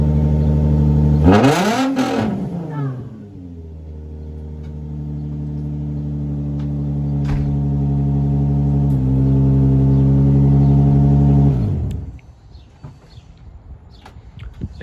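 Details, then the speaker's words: Infiniti G35 after starter replacement fixed a no-start: quick clean crank, engine catches at once, blips up and settles into a smooth, even idle before shutoff; starts and runs healthy. "I love the way it starts it's beautiful it's way better than before"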